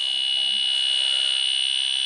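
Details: Central air conditioning not cooling, low on refrigerant: steady high-pitched electronic shriek from the leak detector held at the air handler evaporator, signalling a refrigerant leak in the evaporator.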